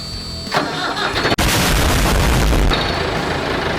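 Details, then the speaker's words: Massey Ferguson backhoe, year unknown (probably 1970s), non-running machine being revived: short crank, then diesel catches cleanly and settles into a steady, even idle clatter; healthy start. "It sounds beautiful, don't it?"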